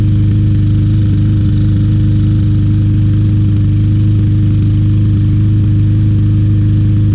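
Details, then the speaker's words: Troy-Bilt TB200 mower, 150cc Briggs & Stratton, after carburetor cleaning and flywheel key replacement: constant low drone with an uneven pulse and occasional skipped beats; engine miss remains, cause unknown. "definitely can hear that miss any suggestions let me know very nice mower just not quite running right"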